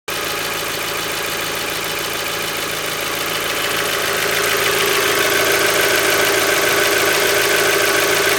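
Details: Mazda Miata, 76,000 miles, Mobil 1 5W-30 changed under 2,000 miles ago, oil near full, after a valve cover gasket change: fast, even ticking about three per second over a steady idle; owner suspects lifter tick, unconfirmed.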